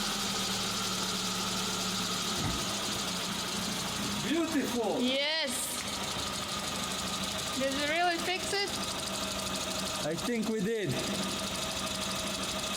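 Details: Hot Suzuki Samurai petrol engine, throttle body warm, fires first try after fuel pressure regulator replacement (old one leaked fuel into vacuum line, causing hard warm starts and bad idle), then runs smooth and steady with even revs, no misses; apparently fixed.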